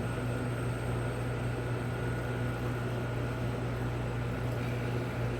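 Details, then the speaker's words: Tenney T-Shock JR shock chamber, cold chamber refrigeration switched on with its heater off: the high-stage compressor starts first, and the low-stage compressor normally follows in 30–40 seconds. Steady low hum, constant pitch, smooth running under load, no knocks; normal operation. "First, the high stage compressor will come on, and then normally in about 30 seconds to 40 seconds we'll hear the low stage compressor"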